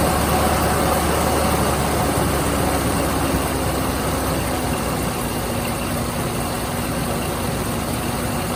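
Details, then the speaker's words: Chevy C10 V8 with suspected flat camshaft lobes idling on seven cylinders after a broken pushrod and rocker arm were removed; uneven loping beat from the dead cylinder. "okay so it's only gonna run on seven cylinders right now because i pulled the broken push rod and uh rocker arm out"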